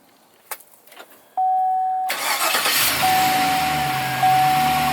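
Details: 2009 Chevrolet Silverado remote start after Fortin plug-and-play install: a few clicks, a steady beep, then a quick crank and the engine catches cleanly into a smooth idle; normal start.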